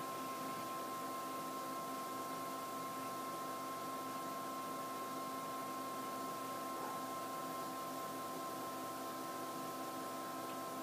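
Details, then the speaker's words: PowerMac G4 MDD (dual 867 MHz G4) booting: steady, even hiss with a few fixed whining tones from the two small power supply fans; loud but normal for this machine. "you can hear it is a very noisy computer that's mainly due to two small power supply fans that it has"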